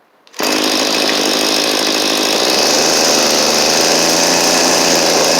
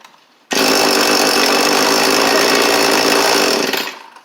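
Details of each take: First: Cheap small two-stroke string trimmer after new carburetor and fuel lines: steady high revs with buzzy, slightly unsteady drone; high-speed mixture suspected too lean or too rich, adjustment screws out far, unconfirmed. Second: Cheap two-stroke edger/trimmer, restarted with the choke on: a sharp, high buzz holds even for about three seconds, then winds down cleanly; it fires and runs well.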